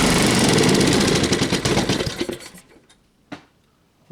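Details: Tiller engine with a new carburetor, half throttle, choke off: rapid uneven putter for two seconds, then it stumbles, fades and dies; not running right, possible fuel issue.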